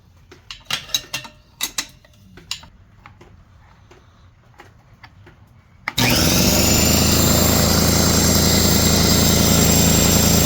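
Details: Craftsman 33-gallon air compressor, after repairs (piston, seal, belt, pressure switch leak): a few light clicks, then the motor kicks in to a loud, steady, even pumping drone; running and filling normally.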